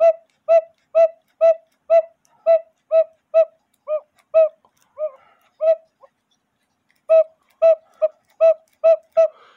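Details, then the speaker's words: 1908 GK railroad cuckoo-quail clock with count wheel movement, original bellows: reedy hoots about two per second, notes faltering and dropping out; weak uneven call, owner suspects the hole position in the case, as covering it stops the cuckoo. "if I put my thumb in front of the hole it doesn't cuckoo so I think he has something to do with where the hole is in the case"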